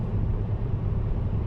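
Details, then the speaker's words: Mercedes E-Class W212 facelift at highway speed after taping the lower windshield edge: steady low road and engine rumble with no high whistle, which before was heard at 110–120 km/h. "wir haben das zugeklebt und jetzt sollte das geräusch weg seien"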